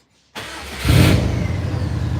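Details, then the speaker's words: Subaru Forester with a Cobb plugged in so the car thinks it's a manual. On key-on the fuel pump and gauges come up with no security light. A short crank, then it catches cleanly to a smooth fast idle. Normal start. "Yeah. I just plugged it in. Boost it. It's running."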